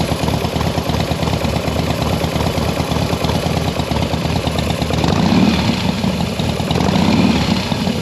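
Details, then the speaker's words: Harley Softail V-twin at idle after push rod work: light, fast, uneven tick over loping idle, seemingly from the front cylinder or middle; top-end noise owner suspects may settle after 20-plus miles, cause not confirmed. "Um, however, since I just did the push rod, you know, they say that up to like 20 plus miles afterwards, you may get a little top end noise."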